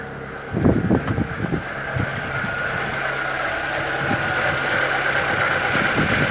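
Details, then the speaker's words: 2013 Chevrolet Celta 1.0 at idle: a few irregular knocks, then a faint whirring hum at the front of the engine, getting worse; timing belt replaced at 50,000 km without fixing it, and the owner suspects the water pump, which has slight play. "Olá pessoal, vou mostrar para vocês no vídeo hoje o barulho que o meu Celta faz na frente do motor. Achei que era correia dentada, troquei, mas não resolveu não."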